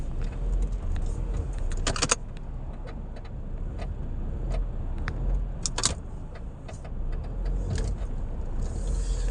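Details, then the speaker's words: Nissan Qashqai J11, right side: irregular dry clicks and crunches over low engine rumble when accelerating or braking, from the worn right engine mount with hardened rubber bushings. "sesi duyuyorsanız sağ motor kulağının değişmesi gerekiyor sebebi de içindeki kavucuk burçların sertleşmesinden dolayı yani gaz fren yaptığınız zaman sürekli rahatsız edici bir ses duyuyorsunuz"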